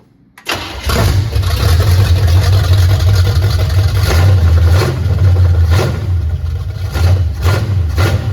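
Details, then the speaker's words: 1979 Camaro V8 running for the first time in 4 years; a quick catch, then a loud, deep open rumble with throttle blips, a normal start and run. "Well, she fires up. Uh we had to adjust the timing a little bit as you seen. But man, that thing that thing goes at it."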